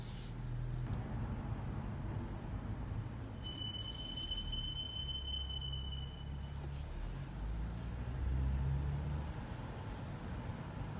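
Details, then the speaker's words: BMW M235i: a high, steady squeal of about three seconds over low road rumble, loudest near the end of braking to a stop; it persists despite repeated bedding of the brakes. "braking period is when the squealing gets really loud."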